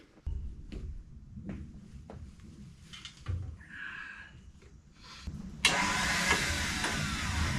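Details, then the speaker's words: Hitachi EX75UR excavator with known faulty alternator, starting attempt on the road: light clicks about four a second, then a sudden loud high whirr with no engine catching; starter spins but won't engage, burning smell, starter suspected fried. "oh man I might have fried it I smell it crap it's just the uh the starter is not engaging"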